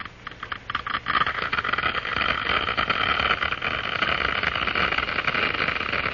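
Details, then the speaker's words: Harsh crackling hiss building from scattered pops to a steady roar as water cavitates in a glass venturi throat at increased flow rate; vapour bubbles collapse in the higher-pressure diffuser. "Small bubbles are formed. These are cavities filled with cold steam and other gases diffused from the liquid. The noise is generated by the collapse of these bubbles as they move into the higher pressure in the diffuser."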